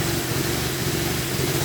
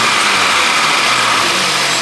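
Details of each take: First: Crash-damaged 2015 VW Golf R manual, no radiator fitted, coolant and airbag warnings: engine catches and settles into slightly uneven, wavering lumpy idle; advertised as running lumpy, owners fear engine might be dead, cause unconfirmed. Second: Crash-damaged 2015 VW Golf R, intercooler temporarily tie-wrapped on to check for air leaks before radiator pack fitted: engine settles into even, steady idle with no knocks or misses for about six seconds before shutoff; sounds healthy.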